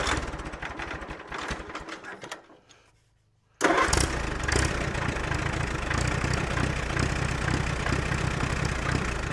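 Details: Allis-Chalmers C tractor with a Woods L59 belly mower at its first start of the year. The engine catches and settles into an even, steady idle with no knocks or misses; it sounds normal.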